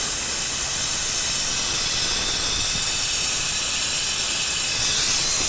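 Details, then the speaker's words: 1977 Ford Highboy truck with transplanted 460 Ford engine, vacuum-fill tool on cooling system flattening radiator and heater hoses to check for leaks before drawing coolant in; loud constant rushing hiss without pulsing; normal vacuum fill. "see even sucking the heater hoses here flat so that's going to pull it back and it's kind of like doing the air conditioner system it's going to pull a vacuum on it"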